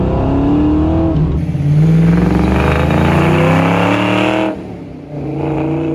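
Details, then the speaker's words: Ford Fox Body Mustang convertible with swapped 306 engine, first drive under load: engine pulls hard and climbs, then falls flat above about 4,500 rpm; high-rpm power loss, with the chip seeming better. "wow that fell on its face hard okay so the chip is better yeah let's throw this back in okay yeah kind of like after 4 500 it just falls on its face it like loses everything after 4 500."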